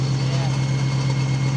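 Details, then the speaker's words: BMW M3 V8 six-speed manual, abandoned and undriveable, with clutch not working: steady idle with deep droning hum and fast rhythmic pulsing; unidentified noise, suspected clutch related, not confirmed. "it's not doing anything oo doesn't sound great it's got some noises but it's running I can't tell what that noise is"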